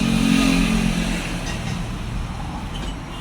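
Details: Honda Phantom 200 single-cylinder after second rebuild fixing leaking valves, plus piston, rings, cylinder bore, cam chain, rocker and front sprocket replaced: even, steady low idle beat, no knocking or ticking; healthy.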